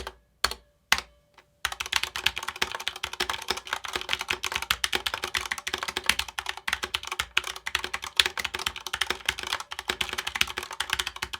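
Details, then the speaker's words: Corsair K70 TKL mechanical keyboard fast typing with metallic ping under every keystroke; switches bottom out on bare metal plate without foam between, which reviewer says foam would fix. "so as you just heard right there in that sound test there is a lot of pinging within this board and it drives me nuts"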